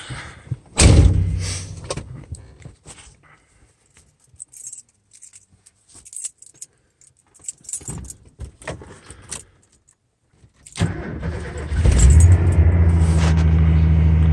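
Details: 1991 Ford F-150 starting after owner's first oil change with SAE 10W30 synthetic blend Motorcraft oil: keys jangle, starter cranks briefly, engine catches to steady even idle with no knocks or misses.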